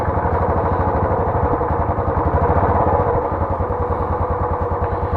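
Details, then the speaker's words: Royal Enfield Classic 350 BS6 single-cylinder after the tik-tik valve guide noise was fixed. It thumps evenly at a fast idle (BS6 idles at high rpm) with no top-end ticking. The idle sounds normal. "Sound तो बिल्कुल perfect हो चुकी है, देख सकते हो। ये BS6 का RPM बड़ा रहता है, अगर इसका RPM कम होता है ना बिल्कुल शांत, क्योंकि एक हाई RPM पे थोड़ी साउंड अलग रहती है।"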